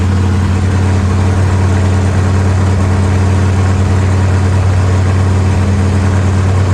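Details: Factory stock race car engine with the transmission out, floating on its front motor mounts, after fitting the right flywheel, which reduced vibration: loud, deep, steady idle rumble with no knocks, ticks or squeals. It is running right.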